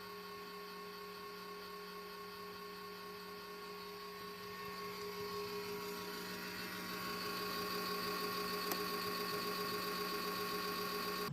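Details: Red Bull VC206565008 countertop LED Eco mini fridge, original 12V Jamicon KF0510S1MR-R sleeve bearing exhaust fan running with a steady buzzing whir and hum growing louder midway; fan replaced as fix.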